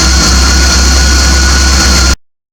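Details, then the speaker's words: 1980 Triumph TR7 after water pump repair with refaced impeller seat: steady idle just under 1,000 rpm, smooth low drone with faint steady whine, no knocks; healthy. "an see just roughly under a thousand rpm she's ticking over quite nicely"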